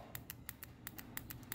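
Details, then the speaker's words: ABS hydraulic unit solenoid bench-tested, powered directly from a battery: crisp, even clicks at six or seven a second, showing this valve needle is moving properly. "Estão ouvindo o barulho? Esse tá bom. Ó. Esse tá bom."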